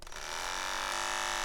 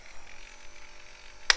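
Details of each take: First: Wahl KM10 cordless dog grooming clipper starts into a harsh, terrible rattling buzz that vibrates the hand, signalling it needs attention: worn blade drive or blade hinge assembly, the two parts needing periodic replacement. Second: Wahl KM10 cordless dog clipper after replacing blade drive and tightening loose blade hinge screws: click, then steady even motor buzz with no rattle or chatter; clipper now running normally.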